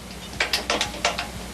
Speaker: that's setting over to take another cut